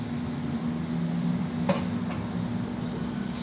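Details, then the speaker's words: Electrolux washing machine that had stopped spinning (only the water pump ran, motor not engaging), switched on: low steady motor hum with soft clicks as agitator turns evenly; normal agitation. "Vou ligar, só de ligar, processo aqui ó, de agitação, para você ver como automaticamente aqui ela já começa a fazer o processo."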